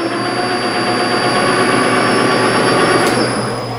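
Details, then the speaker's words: Lathe with ball turner cutting copper turntable feet at about 500 rpm, taking 20–30 thou, in cold February: steady loud drone with thin whine and no grinding; noise suspected to be due to the cold. "sounds kind of noisy it might be just because it's cold yours aren't grinding nothing's bound probably just it is february so it's not running on center"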